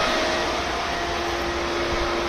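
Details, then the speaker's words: Pentair Intelliflo 2 VST pool pump after DIY repair: smooth constant motor hum with a steady faint whine, no grinding, rattle or pulsing; pump running normally. "pump is running and we got it all fixed and I didn't have to buy a new pump"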